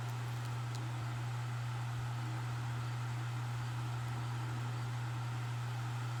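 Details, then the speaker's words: 1996 Duracraft pedestal fan, now a parts fan, running on high speed: steady rush of air over a constant low hum that comes from the stool it sits on, not the fan motor; no rattle or wobble, normal smooth running. "Start with high speed. The hum you hear from it is from the stool it is sitting on. It's not the fan motor."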